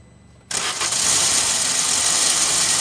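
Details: 2019 Maruti Swift, fully cold, cranking with clutch pressed: sudden harsh high-pitched whirring hiss held steady from the starter, an abnormal cranking noise; with clutch released it starts with no such noise. Cause unknown.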